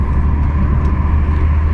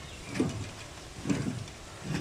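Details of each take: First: BMW E46 on the highway at 100 in high gear with windows closed, after wheel hub replacement: a steady low road rumble with no growl or hum rising with speed; vibration gone, wheel bearing sounds healthy. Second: BMW E46 with vibration noise, wheel spun freely before hub replacement: faint rough grinding swish about once a second; worn front wheel bearing, fixed by replacing the hub assembly.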